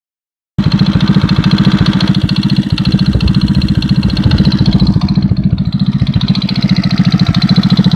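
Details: 110cc engine knocking after cylinder base gasket replacement: steady light top-end knock three or four per second over lumpy idle, disappears at higher revs; persists after valve adjustment (0.05/0.07), doubled base gasket and new timing chain and tensioners; source unconfirmed.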